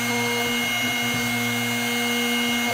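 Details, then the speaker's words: Drill Doctor 750x drill bit sharpener at the end of a sharpening pass: steady motor whine with only a faint scratchy grind, a little on one side; bit nearly finished, with sharp cutting edges and little heat. "you just have to keep rotating it until you stop here in driving so basically here at the end and you'll hear very little grinding sounds a little bit on one side"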